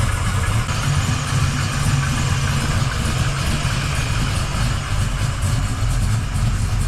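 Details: 1979 Camaro Z28 V8 at first test fire after the noisy Pete Jackson gear drive was replaced with an Edelbrock Performer double-roller timing chain, new balancer and water pump; engine still warming. Deep, lumpy, even idle with no front rattle or whine. Normal idle.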